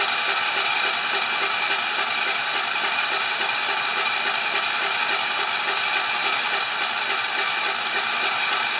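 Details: 10 HP Kohler K241 with newly fitted modern plastic fuel pump, tank horizontal so no gravity feed, ignition off, cranked to test pumping into a dish: steady starter whir with even compression chugging, no firing; normal cranking.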